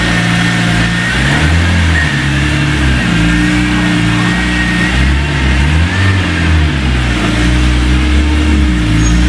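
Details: 2003 BMW E46 M3 CSL after replacing broken SMG motor with Burkhart upgraded kit and SMG oil, bonnet shut: strong engine note rising and falling smoothly, no clunks or grinding; forward and reverse engage, no dash faults; normal SMG engagement.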